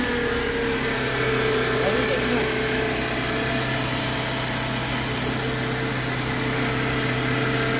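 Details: 2001 Mitsubishi Galant 4G94 after engine swap, previously crank-no-start because the cam sensor signal mistimed the spark, now running after the cams were swapped: steady, even idle with a smooth hum, no misses or knocks.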